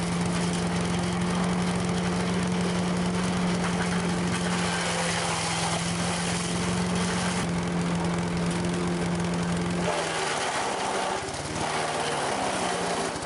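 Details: Late-1980s Sears Craftsman 9HP chipper/shredder, about 30 years old, running. A steady, even governed speed with a constant hum and no knocks or misses; still running strong.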